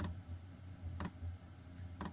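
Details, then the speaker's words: 2kW Chinese diesel heater fitted in a Peugeot Expert camper, starting after the fuel line was primed: sharp single ticks about once a second over low fan hum, the fuel dosing pump pulsing normally during startup. "It's not many seconds later, what you can now hear is the ticking of the fuel"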